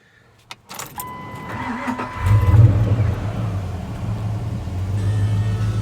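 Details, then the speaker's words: 1996 Ford Ranger with a 5.0 V8 swap and a newly fitted 5-speed manual, at idle: a light clicking rattle comes and goes. The source is unclear; the owner suspects the clutch springs. "It has a little bit of a rattle. I'm not too sure what it is. It sounds like maybe the spring's in the clutch or something, but that's easy enough to change out."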